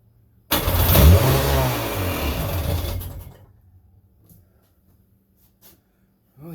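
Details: 1999 Sea-Doo GTI with rebuilt single carb, new fuel lines, 148-150 psi compression, smoky: catches on starting fluid, runs roughly about two seconds and dies; fuel not reaching the carb, owner unsure supply and return lines aren't swapped.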